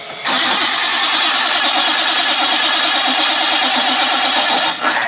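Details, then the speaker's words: Barn-find Nissan R32 Skyline: even rapid cranking for about five seconds, never catches; it won't run because the main power fuse had been removed, later bridged temporarily. "so cam tell us why it's not running assuming because we have a main power fuse here that is has been taken"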